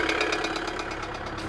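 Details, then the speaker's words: 2008 Kia Sedona 2.9 CRDi diesel (J3) at idle, check engine and airbag lights on: loud, sharp metallic knocking about eight times a second over the idle; bad internal knock, cause not confirmed. "that's a bad knock anyway put that off at the moment"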